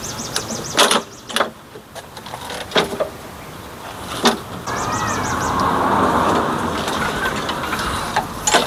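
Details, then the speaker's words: Craftsman lawn mower that the customer said doesn't start, with fresh fuel and oil checked, unexpectedly starting after a few pulls but running loud, uneven and labouring, sounding choked. The air filter was found soaked in gasoline and the pre-filter in poor shape. "Okay, well, let's pop it open. Take a look at that air filter cuz I mean, it sounded like it was choked out pretty bad."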